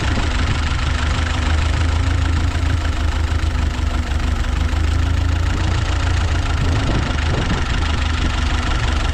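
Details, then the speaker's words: Ford 8N tractor started with fuel off: low, uneven idle with occasional skipped beats and lumpy rhythm, not wanting to idle; owner suspects an intake leak, letting it warm up. "kind of wondering if we do have a leak on that intake not wanting to suck fuel right away it doesn't want to idle but I'll let it warm up a little bit"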